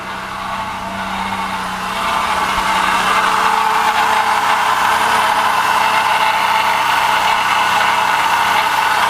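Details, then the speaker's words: 2005 Chevy Uplander 3.5L, complaint of rattle at start and coolant dripping: steady running engine with constant metallic rattle and thin whirring up top; water pump bearing completely shot, pump to be replaced. "it's got a pretty bad water pump so the water pump bearing in this thing is is completely shot"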